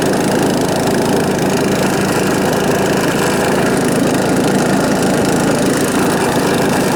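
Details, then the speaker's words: John Deere STX38 riding mower with Kohler Command engine, not run since last year: loud, raw, rough single-cylinder drone with a harsh note because the muffler has come disconnected; needs repair or replacement. "the exhaust the muffler itself has uh come disconnected so it either needs to be repaired or replaced or or drive it really loud"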